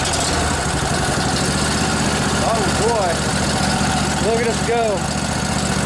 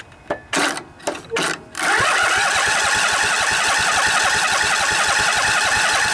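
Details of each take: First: Revived junkyard Briggs & Stratton Intek OHV twin, 20–22 hp, model 40777, in a Husqvarna riding mower, with a new carburetor: steady, even idle with no hunting or misses, birdsong in background; runs healthy. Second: Briggs & Stratton Intek OHV twin (20-22 hp, model 40777) in a revived junkyard Husqvarna riding mower, new carburetor, fuel pump feeding from tank, light choke: three short cranking bursts while the empty float bowl fills, then it catches and runs steadily; slow start.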